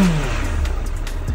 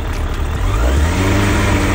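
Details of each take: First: 2008 Suzuki GSF1200S Bandit carbureted four, nearly warm: quick blip, deep exhaust note rises and settles cleanly without popping or stumbling; big-displacement engine slightly inert; normal throttle response. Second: 2008 Suzuki GSF1200S Bandit carbureted four, idle lowered on a not fully warm engine: revs drift slightly up and down after a blip, no misfires; carbs not synchronized in 4 years, owner thinks not critical; hunting idle.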